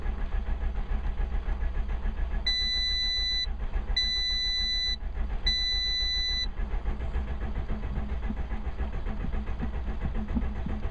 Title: Seat Ibiza 1.6 Sport Won't Start!